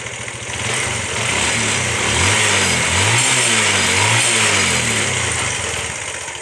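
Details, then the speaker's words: Bajaj Pulsar single-cylinder motorcycle after timing chain replacement and tensioner adjustment: brief blip then steady, even idle beat with no rattle; timing chain quiet and healthy. "Proper तरीके से जो है हमारा sound बिल्कुल complete हो गया, बिल्कुल cheap and best हो गया।"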